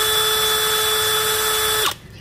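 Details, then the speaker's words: New DeWalt DCK299P2 kit run unloaded, where a speed mismatch between the chuck and motor can cause a clacking: a clean, steady high whine with even pitch and no rattle or grind, then a quick spin-down. The motor sounds healthy. "Máy chạy rất là em ruột ngày tin tiếng động cơ chạy em Ừ"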